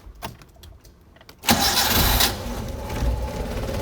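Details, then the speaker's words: 1985 Suzuki Carry 1000 (ST100) petrol engine, started after spark plug, plug lead, points, coil and distributor checks and cleaning: a few quiet clicks, then it catches instantly and settles into a steady, even idle; normal start. "Wah, langsung menyala ya teman. Aman, mesin aman, radiator aman, mesinnya juga aman."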